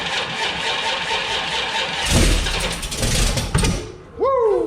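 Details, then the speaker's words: Small-block Mopar 408 stroker (from a 360) with new flat-tappet cam, HEI ignition, weak battery on charger jump mode: labored cranking that kicks back and never catches, then stops; ignition timing set too far advanced, plug wires to be moved one slot. "shut it off so we need to we're too far advanced and it rotates this way that's advanced"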